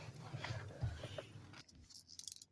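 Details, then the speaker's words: Ford F-Series truck with no turn signals: the pulled flasher relay, shaken by hand, gives a loose tinny rattle of broken pieces inside; failed relay is the cause, NAPA EP27L replacement ordered. "Oh yeah, you can hear it. It sounds like everything's busted inside. So I think that's definitely going to be our problem."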